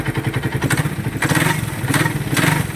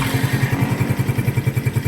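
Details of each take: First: Customer's engine, about 41,000 km, others diagnosed overhaul: fast even metallic clatter over the idle, vibrating rattle not ticking; cause was a loose pinion gear nut. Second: Engine after loose pinion gear nut retightened with a washer removed so it grips again: steady even idle, smooth regular firing, no knock or rattle; quiet, no overhaul needed.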